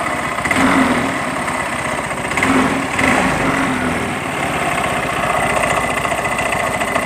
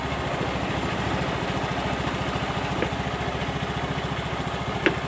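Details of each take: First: Yamaha Mio M3 125 scooter, CVT case: after throttle blips, rough fast tek-tek ticking from belt/CVT and fan side at idle; caused by worn pulley splines from running without CVT grease. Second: Yamaha Mio M3 125 scooter idling after the CVT was reassembled (rattle blamed on missing CVT grease): an even, quick putter at a steady pace with no knocking or rattle, running smoothly.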